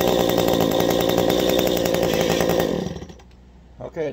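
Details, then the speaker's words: Two-stroke engine at full throttle during high-side carburetor adjustment by ear: steady high-rev scream with crisp, even crackle, no burble, then drops away; carb at its sweet spot, normal. "you make your adjustment you hear that sweet spot i revved up we kept her up there all right"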